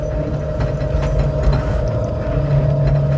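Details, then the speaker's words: Land Cruiser or Nissan Frontier EV conversion pulling away in reverse with the parking brake released: steady mid-pitched transmission whine over low drivetrain rumble, normal and audible only because there is no engine noise. "Yeah, so you can really hear the transmission whine. Yeah. That you normally wouldn't hear."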